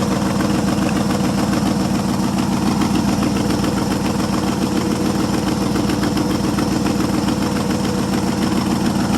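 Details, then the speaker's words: 1973 International 1210 2WD 3/4-ton, 345 V8, automatic, untouched two-barrel carburetor, idle for nearly two years, cold start, microphone by the exhaust: an even, steady idle of about three and a half pulses a second with no misses or knocks; normal idle. "this carburetor has not been messed with whatsoever since I got it and it runs amazingly well can't hardly believe it runs as good as it does"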